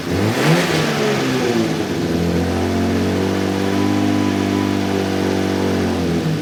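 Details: 1JZ-GTE-swapped LJ Holden Torana revving and settling to a raspy, droning exhaust note with a coarse, nasty edge; harsh exhaust note, mufflers suspected to be no good.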